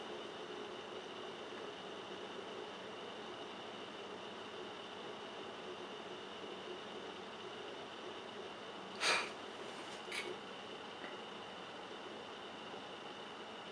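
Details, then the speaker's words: Quiet PC (Cooler Master HAF-X case, Noctua cooler, large fans) with a WD Caviar Black 500 GB hard drive, camera moved close: steady high whir and faint hiss with one brief click, louder than fans; normal drive running noise. "I don't know if it's gonna pick up the noise as well, but I'm gonna shut up a bit and just let you hear it."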